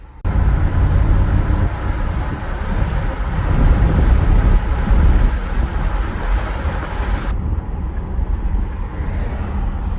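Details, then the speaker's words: 2009 Ford F150 with 250k miles after flooring it: loud low engine rumble with uneven lumpy beat, running a little rough after load, with squeal under throttle and fan roaring; slight hesitation, owner suspects tune-up due. "I hear the fan roaring like crazy, so those are concerns. And now after giving it that load, it's running a little rough."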